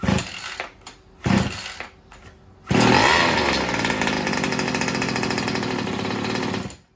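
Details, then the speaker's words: First start of a new two-stroke engine in an old Baja, on choke with no electronics and the throttle closed: a few short cranking bursts, then a buzzy high-revving run; it fires well, but the idle still needs adjusting. "All right, so that fire's pretty good. Let me get my screwdriver and I'll adjust the idle and we'll go again."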